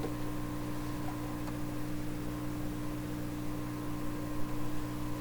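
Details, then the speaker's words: 1928 RCA Victor Model 28V radio, signal generator near 600 into the antenna, volume full: steady low hum with only a faint, thin distorted signal; weak output, fault not yet found. "And you can hear a little bit of the signal coming out of this radio speaker. Doesn't sound very good, but it's there. That's with volume full, everything full."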